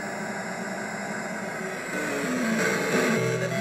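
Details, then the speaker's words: Taito Crazy Climber arcade board set in cabinet after coin-up and start: steady static hiss over the game music, growing louder midway, absent initially and appearing once first sounds enabled; sound mostly from the AY-3-8910, cause not yet traced. "and i'm going to press my start sounds not too bad and then some static noise comes in"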